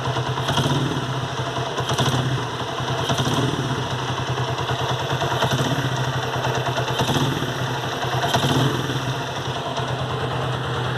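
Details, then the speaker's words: Honda CG Today 94 single-cylinder, original engine: fast light tapping over an uneven idle with louder clattery surges about every 1.5 s; worn rocker arms catching on the camshaft, noise fades when revved. Worn rocker arm tick. "e esse é um vídeo dos rolezinhos quando ele tá desgasto fica pegando uma árvore do comando e e quando acelera ele some"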